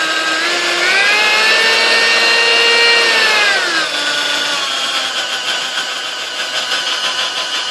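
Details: Sunbeam Mixmaster model 1-7A (235 W) before service: motor whine rises, holds, then sags unevenly on the lower half of the speed dial; the speed-control resistor was at fault, and replacing it plus cleaning and lubrication fixed it.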